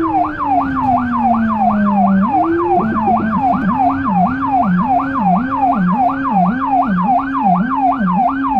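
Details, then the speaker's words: Small emergency car in Budapest with a Federal Signal Rumbler (pulsing 180–360 Hz) beside the high-pitch siren, recorded from inside, where it sounds softer. A fast high wail at about once a second with a deep pulsing low tone: normal siren operation. "You might notice the low end siren faster as it is not quite the typical siren that you are used to, as well as it is way more powerful."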